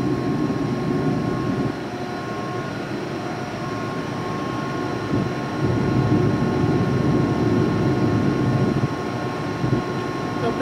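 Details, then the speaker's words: Used 2005 Boge 40 HP variable-speed-drive compressor, 79,131 run hours and 1,909 loaded hours, at max rpm building pressure (holds around 105): steady motor hum with smooth even whine under a mechanical drone; normal running. "right here it is at max rpm obviously it's trying to get up the pressure here and we're running"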